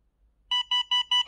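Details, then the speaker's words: Itronics ITB200L dashcam gives four quick high beeps, about five per second, warning that no memory card is inserted; the same sound also occurs with a card present if the card isn't formatted regularly. "없으면 나는 소리예요. 그것도 카드가 있다고 해도 이 소리는 또 납니다. 카드가 있다고 해도."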